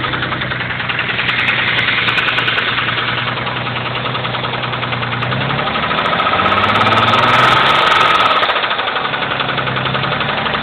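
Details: 1991 Mitsubishi 3000GT VR4: steady knock about three per second over an uneven idle; started suddenly, no metal flakes in oil, no oil pressure problems; owner suspects spun rod bearing.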